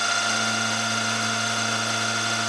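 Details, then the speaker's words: Carbide end mill from a 2–12 mm set, climb milling at 1000 rpm spindle speed: steady high ringing tone over the spindle hum throughout the cut; cutter chatter and vibration, made worse by climb milling. "can hear a bit of vibration it doesn't help that I'm climb milling and I've set the cutter speed at 1000rpm"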